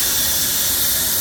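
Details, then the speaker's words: 20-inch wood-fired off-grid steam boiler at about 50 psi: steady, high-pitched even hiss as the blower valve vents steam; needs steam pressure up to use the blower, operating normally. "probably hear it blowing steam out cuz you have to have steam up to be able to use that blower"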